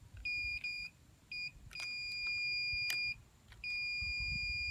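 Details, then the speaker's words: Multimeter on continuity checking windings of a three-phase irrigation pivot motor, power off: clean high-pitched beeps in short and longer bursts as probes touch; winding continuity intact. "acuérdense que tienen que poner con continuar tiene que hacer este sonido"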